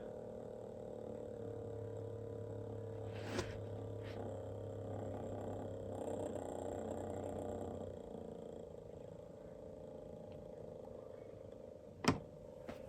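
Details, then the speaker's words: Pioneer RXM-047 take-up reel motor removed from a CT-F900 cassette deck, before servicing and running at 7.1 V: a low, uneven, rough, dry whirr. It has good torque and no dead spots but clearly needs lubrication. "you can kind of hear it now it's a little noisy it's got good torque we're running at 7.1 volts right now it does not appear to have any dead spots but it clearly needs lubrication"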